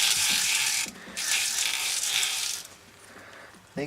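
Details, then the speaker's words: Boring a steam engine cylinder with a high-speed steel boring bar ground to a radius, run slow with long stick-out: harsh hissing scraping in bursts each pass as the dull bit rubs and rounds instead of cutting; carbide bit later worked. "just rounding the bit all right so it's messing around with high speed for a really long time couldn't get it to cut"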